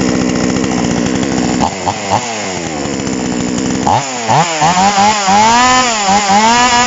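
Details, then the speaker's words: Chainsaw during carburetor tuning, first fire on choke after about five pulls: sputters with revs surging up and down, showing fuel from the tank has reached the carburetor. First fire on choke. "เสียงเครื่องดำอ่าแบบนี้ก็คือว่าน้ำมันจากถังน่ะขึ้นมาคาบูเรียบร้อยแล้วครับ"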